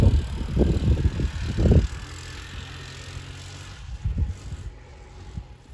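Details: 1984 Honda ATC 200M single-cylinder three-wheeler, barn find stored 30 years, running after parts replacement and repairs, still needs fine tuning. Steady even thrum under light throttle between wind gusts, running clean; normal running.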